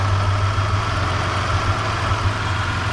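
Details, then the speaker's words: 3rd-gen Toyota 4Runner, distributorless with coil-on-plug ignition, spark plugs and all three coils on one bank already replaced: uneven, stumbling lumpy idle; intermittent misfire at idle, owner suspects possibly an electrical wire. "you can hear the misfires though that's happening now"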